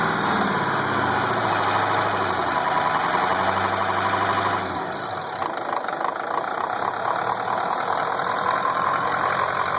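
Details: Ford F250 at idle: steady idle with a continuous airy hiss that does not change with engine rhythm; owner suspects a leak from the top of the motor, source unidentified.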